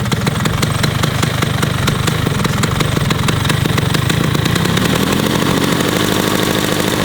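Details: Vespa PX two-stroke, Polini 137 cast-iron cylinder, SIP full-DC ignition, DRT clutch and carburettor, started outside; fast crisp even popping with slight pitch rise near the end; tuned scooter engine runs cleanly.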